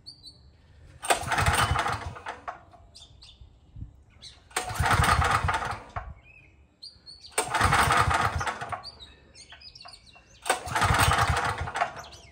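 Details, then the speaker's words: Craftsman 5000-watt generator, cold start with recoil pulls, fuel previously shut off: four pulls of about 1.5 seconds each, spinning with no catch or firing; won't start because the engine switch was left off. "What could have been screamed at me is I didn't have the engine switch on, which is there."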